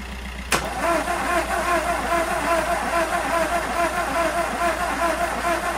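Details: VW Golf 1.4 TSI petrol after timing chain snapped, bent valves, top-end rebuild and re-timing: sharp crank catch at half a second, then a steady idle with light, even ticking and no knocking; normal start and idle.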